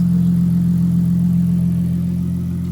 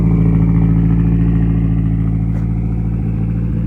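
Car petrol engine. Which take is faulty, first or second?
second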